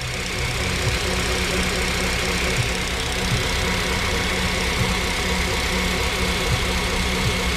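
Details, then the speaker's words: 2007 Honda Civic Si with intermittent EPS light and loss of power steering, hood open at idle: loud busy whine with faint ticking from the passenger side engine bay; owner suspects the alternator, maybe the water pump, and plans to replace the alternator. "May even be the water pump, but it's literally coming from this side right here, and you can hear it's like"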